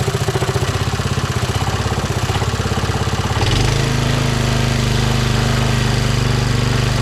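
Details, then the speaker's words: Briggs & Stratton 3hp IC Model 80212 four-stroke on a Masport rotavator, throttle about midway with choke off, took some starting; putters at a steady idle then picks up to an even faster run, healthy. "there you go took some starting not sure why I don't run there on uh full speed I just running for a little while 5 minutes the warm it through see if I got any problems"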